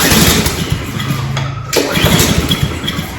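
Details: Cub Cadet SC-700H mower with Honda GCV190 engine and auto choke, unused for a while, fires on a single pull, dips briefly, then settles to a steady idle: a clean cold start.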